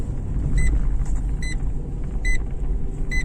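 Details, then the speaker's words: Renault Megane 2 cabin while driving, after silicone spray on plastic trim joints: steady low road rumble and a regular chime, no squeak from the rear shelf; loudest cricket rattle gone, another under rear seat still suspected. "тот сверчок следы пропал"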